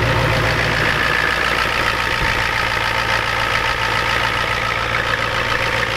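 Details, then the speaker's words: Ford F250 7.3 IDI diesel just cold-started at 12°F with glow plugs and ether: even clatter with a steady low thrum, no misses or standout knocks; healthy cold idle settling in. "keep the girls up god doesn't like the cold nobody does"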